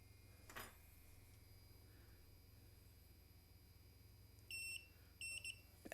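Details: Quiet room, then short high-pitched multimeter continuity beeps in two quick bursts while testing a FET pulled from a drone ESC; it reads shorted to ground, looks slightly burnt, and should be replaced.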